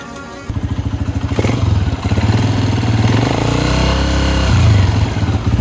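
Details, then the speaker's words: Honda CG 125 Gold Edition single at idle and light revs: a steady thump with a repeating tik-tik on each beat, which grows louder once the engine is warm; tappet clearance is out and needs valve adjustment. "जो जब चलता है, जो गर्म होता है तो टैबलेट की आवाज़ ज़्यादा हो जाती है।"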